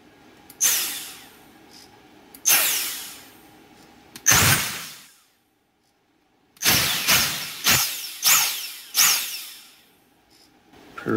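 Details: Dyson DC58 handheld vacuum motor powered directly at its plus and minus terminals: short bursts whirring up to a high, clean whine and coasting down; spins freely and healthy, fault is in the battery pack.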